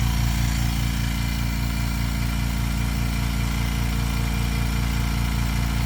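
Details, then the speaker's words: 2-gallon ultra quiet air compressor running: low quiet hum with soft even pulsing, no knocking or squeal; slightly louder for the first five seconds then quiets down a lot, much quieter than a loud Porter Cable pancake; normal running. "okay this thing is insanely quiet okay for the first like 5 Seconds that it's running it's slightly louder but after about 5 Seconds it really quiets down quite a bit"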